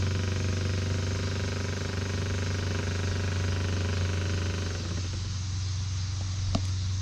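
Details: Minn Kota trolling motor rescued from the trash (needs a switch, a bolt missing) gives a steady low electric hum, even tone, slowly speeding up, no grinding or knocking; motor judged pretty good.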